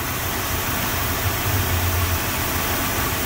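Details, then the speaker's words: 1970 Ford Mustang Mach 1 with a non-original engine, first start after new spark plugs, power steering belt and air filter: steady low V8 rumble at an even idle, no knocking or squealing. Runs smooth and quiet. "baby's ready to go so let's go over here it's actually running pretty smooth nice and quiet"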